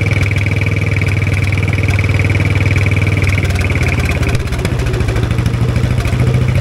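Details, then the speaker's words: 1960s Caterpillar pony (starting) engine just after carburetor cleaning, running at mid throttle on a roughly 30-second run, not yet warm: steady even low thump with no misses or stumbles; runs cleanly. "that was a great success awesome it sounds like it runs really good"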